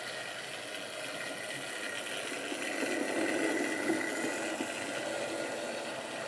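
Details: Wrenn West Country class model loco Lyme Regis, not run since the 80s, after joints greased and reassembly: light, steady whirring buzz, no stutter or grinding; motor runs smoothly.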